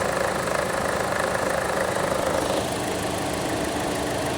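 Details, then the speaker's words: Chevrolet Z71 at idle: even, steady running with normal engine shake; the rattle heard earlier is just a cover, PCV system sounds fine; engine healthy. "And the PCV system sounds fine. The rattling that I was hearing, that's what I was listening for. It's just a cover."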